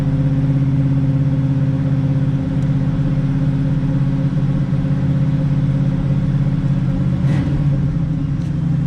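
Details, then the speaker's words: 1986 Oldsmobile Cutlass 442 V8 with a rebuilt eBay Quadrajet carburetor, just after a cold start following two days sitting with two throttle pumps: deep steady rumble settling into an even idle, no misses or stumbles; starting much improved. "It wasn't like instant, like fuel injection, but it was way better. Maybe it needs 3 pumps. Try that next time, but things are looking good."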